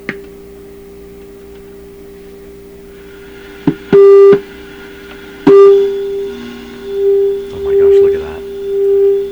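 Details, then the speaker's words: Canadian PYE Model 39HC radio with intermittent fault: signal tracer gives loud steady tone around 400 Hz when probe touches the second IF coil secondary; signal passes through the second IF, so the fault lies further on. "okay so that's coming out of my tracer a ton of signal there the radio's still broken so that signal is traveling from this tube into this coil"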